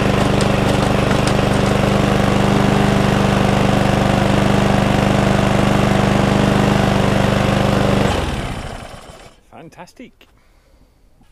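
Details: Cheap mower, after fuel tank flush and carburettor clean (previously would not stay running): steady even beat about eight seconds, then smooth wind-down; normal idle.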